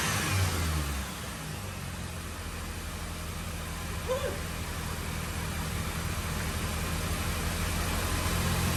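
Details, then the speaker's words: 2005 Mini Cooper S R52 convertible bought with a reportedly noisy engine, with water in the system; it catches quickly, settles to an even idle, then blips up and back down cleanly with no knocks: normal start and rev. "excellent also can't run it very long he's got a water in the system but it starts"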